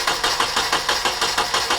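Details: Nissan 240SX engine after top timing chain tensioner replacement and top guide removal, distributor reinstalled: quick, even cranking pulses about six a second but never catches; no-start from wrong ignition timing.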